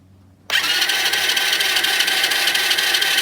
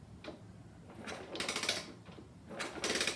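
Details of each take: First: Supercharged postie bike engine, cranked after a loud crack killed it, with no spark plug or ignition: two even cranking bursts with a smooth whir and no knocks or grinding. Cranking sounds normal; the owner suspects the noise may differ under load. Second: Supercharged postie bike engine that died with a loud crack at idle, turned over with the gearbox and oil pump ruled out; light uneven clicking in short bursts; clutch suspected, not confirmed.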